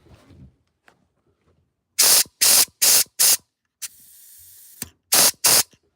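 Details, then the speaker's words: 1963 Impala air suspension dumping: short sharp bursts and a long steady hiss of air as the bags deflate, with the dump valve exhausting into the cabin so it smells like a tire. "All right, they work, but the problem is when you go to dump it,"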